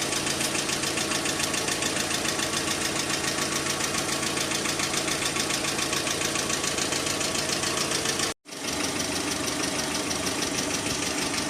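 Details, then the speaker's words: Petrol engine at idle, first start after engine flush and oil change to a different oil: fast, light, even ticking of hydraulic lifters at the valve cover; flush did not stop the tapping, additive to be tried next. "короче народ промывка двигателя нужного результата вернее ненужного ожидаемого результата не принесла как он тарабанил так он и тарабанит"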